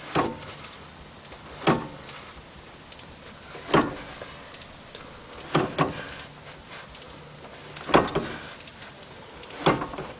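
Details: 1990 Mazda Familia right-hand drive shaft making sharp, hollow clunks about every two seconds, some doubled, as the wheel and shaft are turned by hand.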